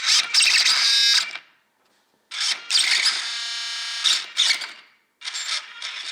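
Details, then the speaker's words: Losi DBXL 1/5-scale RC truck after two years stored; erratic high-pitched buzzing bursts starting and stopping on their own between silences: 1/5-scale waterproof Savox servo glitching, suspected worn out and shorting. "But any kind of movement or slip of the trigger finger or steering finger causes it to glitch. So this is a common problem I noticed with these 1/5 scale waterproof Savox servos, is that they over time just seem to give out and short like what you were seeing."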